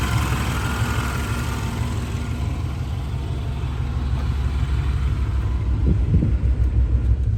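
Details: 1992 Chevrolet Blazer Silverado 4x4, 5.7 V8, automatic, new battery, custom exhaust, AC running: deep, even V8 burble at idle, steady rhythm with no misses, knocks or stumbles; healthy normal idle, slight AC compressor noise.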